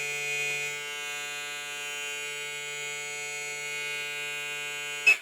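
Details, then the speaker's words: Hair trimmer model 001 fitted with a new Zircon blade set near zero: steady, high, even buzz with no rattle or chatter. Runs smoothly; the blade is compatible. "Perfect. Asta sună bine."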